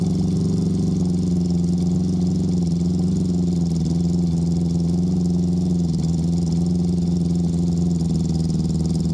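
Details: Honda CB650 after fitting Ricks Motorsports CDI units to cure a cylinder 3 misfire, engine now hot: a steady, even drone with no stumbles; cylinder 3 now fires, so the old CDI was the issue. Choke cable and carb sync are still to do.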